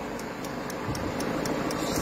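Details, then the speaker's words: Peugeot 5008 diesel at quiet idle after FAP additive tank replacement, no low-additive warning on dashboard; crisp, even ticking about four times a second is the additive pump priming normally, left to run. "voilà donc là on entend bien la pompe qui est en train d'amorcer voilà il faut la laisser faire"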